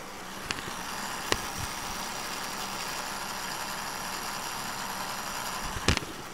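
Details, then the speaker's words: MSI GP65 Leopard laptop CPU fan recorded with mic held close before teardown, making an irritating noise for two days: steady airy whir with faint hum underneath, a few handling clicks. "hope you can hear that sound that noisy fan sound"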